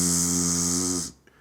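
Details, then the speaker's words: London Underground Victoria Line mid-tunnel ventilation shaft fan on Antill Road, Tottenham Hale, recorded about six feet away; constant low buzz under a steady airy hiss, no rhythm or pitch change, running nonstop; neighbours complain of the noise. "i mean my neighbors always complain about that that noise and i can hear it concept just the buzz"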